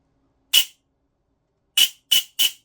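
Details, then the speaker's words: Silverback MDR-X gearbox, 18:1 ratio, firing: four harsh rasping bursts with scratchy high edge; bevel gear sits too low, only catching pinion tooth tips, can't be shimmed higher; smoother when motor pressed up. "sounds horrific if I apply pressure to the motor like that hard to do one hand but uh I apply a little bit of pressure how much smoother does that sound so what's happening is is the bevel gear is sat too low"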